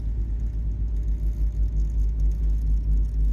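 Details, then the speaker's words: House panel, 60 A furnace breaker feeding undersized wire with furnace running: steady low hum and buzz, breaker tripping about 30 seconds later, lug melting and loose; overloaded circuit breaker buzzing. "so we got the furnace running right now we're going to just go ahead and work on the uh heat pump AC condenser outside first and right now you can actually hear that 60 amp breaker"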